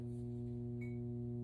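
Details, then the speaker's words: Tube amplifier with two main tubes fitted where only one main tube lights. A loud low hum grows steadily louder with a pulsing edge and faint clicking: pulsing hum and clicking, an unidentified fault, so the amp should be shut off. "Yeah, it's clicking. Oh shit, I don't like the way that sounds. No, that's too much. That's too much. There's something wrong with this thing."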